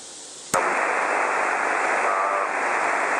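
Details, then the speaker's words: Earbud held to the microphone on a QRP SSB rig with an LM386 audio amplifier versus LM380: same audio but a steady high-frequency hiss in the background, from the LM386 stage. "It's the audio coming through is the same, but you can really hear that high frequency hiss in the background."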